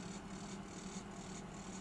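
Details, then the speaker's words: Salter EK5872 air fryer, side two (the side that stopped heating) on a very low temperature setting, run from raw mains on the bench. Steady low hum with an even whoosh of air, no grinding; the noise is possibly just mechanical: normal fan motor running. "Certainly seems to be blowing though. What do you make of that noise? That could be just mechanical noise."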